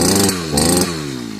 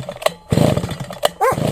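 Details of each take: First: Sviatyaz BT-430 two-stroke brushcutter after replacing a faulty spark plug that kept getting wet: starts first pull, revs cleanly and settles to an even buzz with no misses; healthy. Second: Svityaz BT-430 petrol brush cutter that quit after refuelling; several pull-start tugs each give a short rough burst that dies at once, and the plug comes out wet again. Fouled spark plug.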